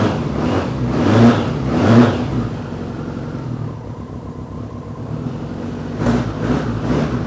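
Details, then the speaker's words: 1993 BMW K100 motorcycle after long storage, new battery and fuel pump fitted; the engine runs unevenly with lumpy surges that rise and sag, rough running the owner suspects comes from sitting unused, with a strong smell of old gas. "it's running a bit rough maybe because it haven't ran in a while so smells really bad too"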